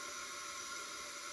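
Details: Leak-down test on old front-engine dragster motor that sat about 30 years: soft steady airy hiss of air escaping; cylinder reads about 60% with oil present, possibly worn cylinder, bad ring or rust, unconfirmed.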